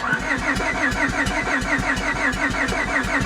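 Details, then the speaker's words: Copart auction Honda: starter chugs about five beats a second, scattered weak pops, never catches; firing on few cylinders; suspected overheating, head gasket or broken or slipped timing belt. "Sounds like it's only trying to pop off on a couple cylinders."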